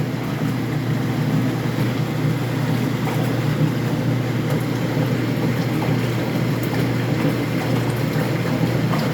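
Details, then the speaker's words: Speed Queen commercial washer after a drive belt change, in the agitation cycle with the agitator going back and forth. Steady low motor hum with water churning and a slow swish; the agitate cycle sounds normal. "it's turning slowly so the agitator on the top is agitating i can hear the water is being agitated"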